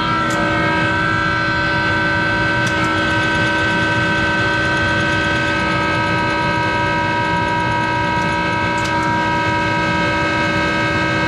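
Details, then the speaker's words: Monarch 10EE precision lathe 3-phase motor-driven generator DC spindle drive (vacuum-tube rectified) started up: loud constant whine with several steady tones; bearings in the motor generator are worn and need replacing. "so what I'm gonna do is I'm going to well start the machine up and it's louder in hell because it's got those bearings that need to be replaced in that motor generator so bear with the noise"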